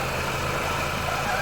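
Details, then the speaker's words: 2010 Ford Fiesta Zetec Rocam petrol engine idling smoothly with no chain-like rattle once the noise from the faulty ball-type breather check valve on the valve cover stopped. "Ela tem uma esfera aqui dentro. Aí parou o barulho."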